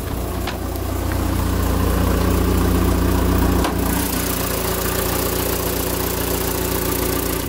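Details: Citroën with camshafts mismatched to its ECU; steady but lumpy idle with a loud rhythmic chuff at the exhaust manifold; live data normal, catalyst checked; rough running from incorrect camshafts.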